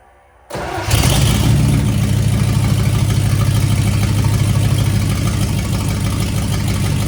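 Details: C65 dump truck with a replacement V8 and transmission, new Holley carburetor and electric Holley fuel pump, first start in 10 years: brief crank, then catches and settles into a steady, even low idle; normal start.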